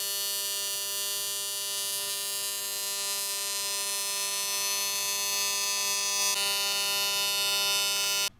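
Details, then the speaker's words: AC TIG welding with straight argon, in a video about welding copper pipe: a steady harsh buzzing arc with a coarse low pulse about three per second. The AC frequency is set too low and needs turning way up. "so obviously I got to turn my freak number way up cuz way that that is what's causing me some grief see how fast that is"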